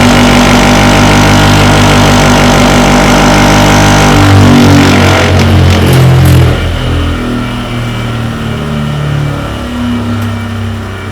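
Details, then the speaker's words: Grinding machine that previously ran dead true and silent, fitted with a new wheel dressed concentric with a diamond dresser: heavy rhythmic throb about four per second under motor hum, then spin-down; wheel suspected crooked, grinding wheel out of balance. "machine ran absolutely dead true and silent, so all I can put it down to is the wheel's crook. As a trial, I'll put a similar wheel to the old wheel up there. I don't like going down the inch in diameter, but I can't run with this vibration."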